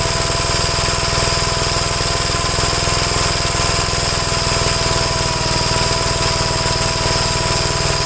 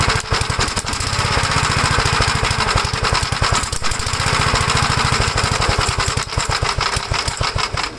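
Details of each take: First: 1957 Gravely LI single-cylinder tractor after adjustments and choke removed. Steady, even beat at constant speed with no misses or surging, running cleanly. Owner concludes nothing was ever wrong with the carburetors. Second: 1956 Gravely L single-cylinder tractor with carburetor from a '57 swapped in: fast uneven thumping with wavering loudness, still runs rough, so carburetor isn't the fault; owner suspects head gasket damaged when governor revved to full throttle.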